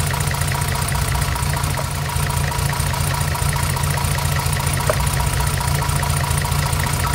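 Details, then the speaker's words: 1975 Mercedes 280SL M110 petrol six, unrun for 10+ years, with new plugs and serviced injectors, idles slightly lumpy; pulling one plug lead gives no rev drop, a dead cylinder from a faulty plug or other cause. "I don't know how well that came out in on camera, but when I take this spark plug lead off here, there is no change in engine um tone. The revs don't drop slightly."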